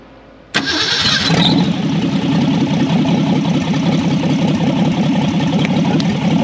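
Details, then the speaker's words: 1964 Ford Falcon four-door, six-cylinder with 3-speed column shift, off the road since about 1984, first start: catches instantly and settles into a steady, even idle with no misses or knocks; normal idle. "That sounds pretty good."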